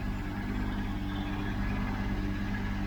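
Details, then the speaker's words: 1992 Mercedes 600SEL at idle after exhaust leak repair with new clamps, still loose, air pump running. Smooth, even idle with no puffing or ticking at the pipes; possibly a slight leak remains at the manifold. "even with clamps loose that is a good sign very good sign"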